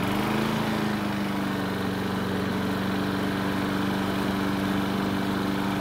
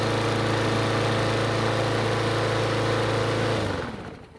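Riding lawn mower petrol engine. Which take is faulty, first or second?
second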